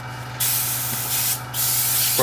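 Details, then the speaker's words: Airbrush at 30 psi after the leftover water was tipped out, sprayed dry until only air comes out: two clean bursts of steady high hiss, no spitting or sputter. Normal air-only spray. "again until we just get air out there we go just air now"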